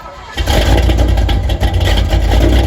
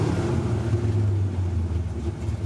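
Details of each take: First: 1974 Corvette V8 after repair of bogging and sputtering problem, run through several heat cycles checking for leaks: catches quickly, settles into deep, steady, even rumble with no knocks or ticks, great oil pressure at idle; healthy idle. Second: 1974 Corvette V8 that sputtered at the drag strip: a deep rumble that sags and wavers as the oil pressure gauge drops at warm restart, though the oil level is full.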